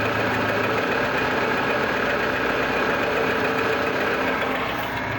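Idling petrol engine with an uneven knocking under a busy mechanical clatter, about four knocks a second; source of the knock unclear.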